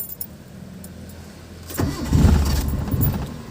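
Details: Mitsubishi Lancer with a hard-starting problem, since fixed: a short quiet spell, then the starter churns unevenly before the engine stumbles and catches; the cause is not stated.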